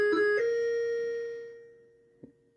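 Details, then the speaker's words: Harlem Globetrotters pinball sound board with sustain turned up: one chime tone rings steadily for about a second and a half before dying away. Excessive sustain. "But if I turn it all the way to the right, it's like it doesn't stop."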